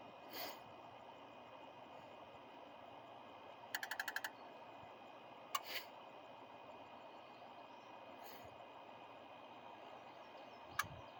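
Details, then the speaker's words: Truck, sat overnight, cold key-on injector self-test: quiet with only a brief cluster of faint ticks and a couple of clicks, only two injectors firing, though the truck runs just slightly sluggish; owner suspects the injector harness. Not confirmed. "Okay, so with only 2 injectors firing, this thing is going to have a very hard time starting up, and it's going to run like absolute trash."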